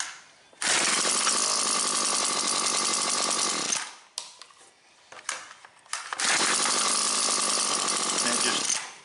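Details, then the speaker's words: Husqvarna 325P4 non-telescoping pole pruner, two-stroke: cranks fine for a couple pulls, then short ragged stumbling bursts that cut out; severe intermittent ignition miss, first suspected fouled plug. "I'm getting intermittent fire. It'll crank fine for a couple pulls."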